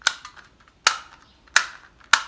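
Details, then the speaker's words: Control panel of a 1980 Lego 7860 12v remote-controlled train signal, early first-version unit: four crisp, sharp clicks under a second apart on a quiet background, the normal mechanical switching of this panel. "that's the first version control panel because you can hear the clicking"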